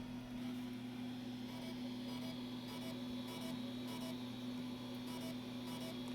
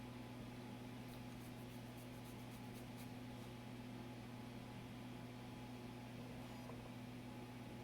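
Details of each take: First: Brand-new floppy disk being formatted: a steady low hum with faint, evenly spaced head-stepping ticks as the drive struggles and hangs; the disk showed 221K of bad sectors. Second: Floppy disk formatting after cleaning off suspected mold residue: steady drive motor hum with light head-stepping ticks, no hesitation or retries; formatted with no bad sectors.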